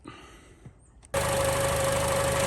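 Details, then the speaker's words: Vehicle on a cold day about 26 °F, started after power steering fluid filled to the cold upper level during a noisy power-steering belt fix: starter catches quickly into a steady, even idle with faint accessory hum, no squeal; sounds very good. "Actually sounds pretty good. Usually you hear that. That sounds very good."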